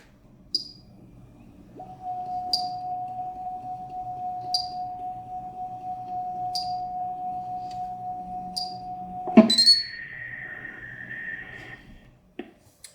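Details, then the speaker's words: Edelkrone Slider 1 v2 motor after teardown, cleaning and reassembly: clean steady high whine for several seconds, no grinding or scraping any more; motor still whines but grinding fixed. "I think the mission was successful in working it's still whining the motor wind but it does not produce that grinding sound which was kind of annoying"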